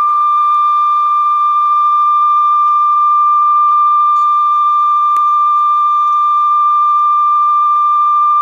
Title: CONION CRC-H 84 #2 ,After replacing the belt, and lubrication , Checking tape speed and detonation.